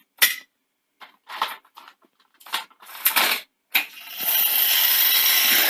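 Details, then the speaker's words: Grundig 2x4 V2000 VCR that breaks tape on rewind, suspected failure to sense tape end (opto LEDs/sensors), loaded with a test cassette with no tape across: bursts of whirs and clicks then steady motor hiss as it checks for tape. "and you can hear it's basically trying to work out if there's a tape, what's going on with the tape."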